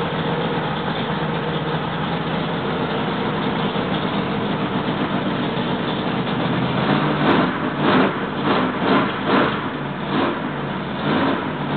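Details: Freshly rebuilt L88 427 Chevy V8 from a '66 Chevy II, hydraulic roller cam, aluminum heads, low compression, first start-up: high steady idle with even low rumble, timing roughed in near 35°, no knocking; healthy break-in.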